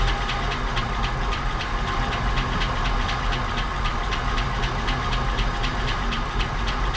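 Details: 1959 Cadillac project car, waiting for 11 years, run after cleaning points and checking plugs: fast, even ticking keeping pace with engine speed over a rough idle; noisy lifters or sticking valves suspected.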